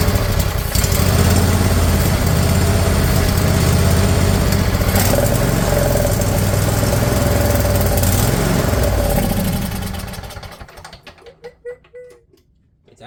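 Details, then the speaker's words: Briggs & Stratton Intek V-twin replacing a blown Kohler Courage in a mower, first run: catches and runs steady even idle about ten seconds then shuts off, no knocking or misfire. "Wow. Okay, that's good. I'm convinced it runs"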